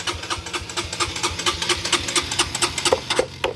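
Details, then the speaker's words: Supra GTR 150: starter keeps whirring after engine catches, quick uneven taps over it until it cuts out when tapped; worn starter relay sticking closed, should be replaced. "Nah jadi kalau itu diketok-ketok seperti itu untuk menghentikannya ya, tapi ini sudah bermasalah, harusnya ini diganti. Dia itu sudah capek kerja kayaknya."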